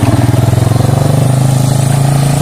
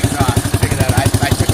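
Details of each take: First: Yamaha Warrior 350 quad after carb jetting work, 12-disc Supertrapp exhaust with spark arrestor: single revs up strongly, pitch climbing, with a brief midrange stumble before pulling clean again; still sputters slightly under acceleration. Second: Yamaha Warrior 350 quad after carb jetting and a bent float tang to stop flooding, with a 12-disc Super Trap and spark arrestor: a clean, steady idle thump at nine to ten beats a second. It still sputters slightly at times.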